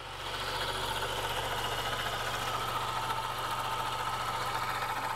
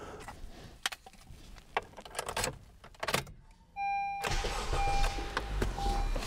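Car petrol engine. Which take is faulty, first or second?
first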